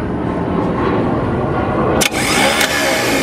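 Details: Cadillac 350 V8 with a brand-new remanufactured starter: rough whirring crank that never catches, with a sharp break partway through; starter spinning without properly engaging the flywheel, flywheel or starter fitment suspected.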